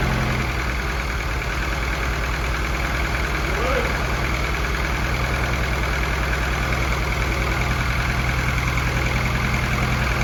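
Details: F24 newly built motor, first start-up run: steady even idle with a smooth regular pulse, no knocks or ticks, no leaks; fresh engine running clean and healthy, valve lash to be checked after break-in.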